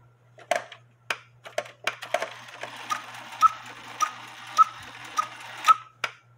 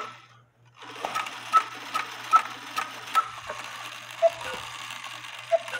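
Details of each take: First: George cuckoo clock after the big washer weight was removed and the new bellows weight cut in half: sharp ticks about once a second with clear piping cuckoo notes, calling properly. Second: Cuckoo clock quail bellows fitted with a homemade screw weight that is too heavy: faint sluggish ticking and soft clicks as the quail tries to sound but stalls. The fix is to cut the weight about in half.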